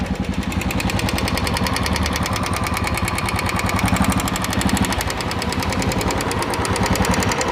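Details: Royal Enfield Bullet Classic 350 at idle: sharp, rapid, evenly spaced metallic top-end ticking; suspected loose hydraulic tappet, not confirmed.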